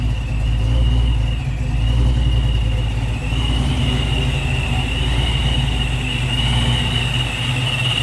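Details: Supercharged 306 Fox-body Mustang just fitted with an Anderson N51HR camshaft, ignition timing still off. Lumpy, choppy idle with a thin whine, speed drifting up and down; idle hunting, needs tweaking but hits harder than before.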